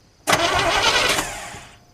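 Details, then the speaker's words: Chevy K1500 truck being revived, water pump belt off: engine catches at once and settles, with no starter grinding or clatter. Normal engine start. "that's good the motor sounds good"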